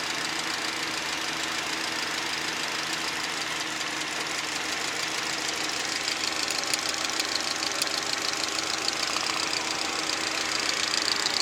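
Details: VAZ 2110 16-valve engine at idle: light irregular tapping, about two knocks a second, over a thin idle; knock inside the engine.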